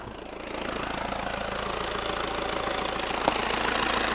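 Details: VW Passat B6 BMP turbodiesel: steady idle with a regular, even knock about three to four times a second; owner attributes it to the dual-mass flywheel.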